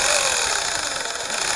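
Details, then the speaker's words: WLToys 124012 4WD RC desert buggy with a 540 brushed motor: a gritty, raspy whir sits high over the electric drive and holds steady; dirt is caught in the drivetrain. "so I see if we can clear it out by just driving it okay that's dirt gut in there so I was wrong"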